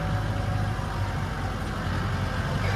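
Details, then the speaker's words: Maruti 800 with swapped-in Mahindra 2500 cc diesel engine, in 4x4, low gear, climbing a dirt slope: deep steady diesel drone pulling evenly, no knocks, rattles or misses; noise judged fine, normal running under load. "क्या ऐसा नहीं हो रहा है? कोई आवाज नहीं है। हां, आवाज भी। नहीं। और वर्ष, 2500 सीसी इंजन में इतना शोर वह ठीक है।"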